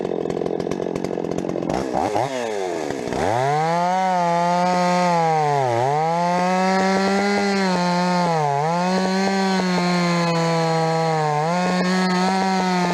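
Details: Rebuilt Stihl 026 two-stroke chainsaw: high screaming revs dipping in the cut, sharp pops near the top of the range at full throttle; mixture tweaks didn't help, owner suspects spark plug too hot.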